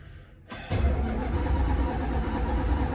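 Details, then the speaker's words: Dodge Dart V8 after long lay-up, fresh fuel lines and filters fitted: starter spins it at about three to four lumpy turns a second but it never fires; crank no start. "It's turning over. Failure from the get-go."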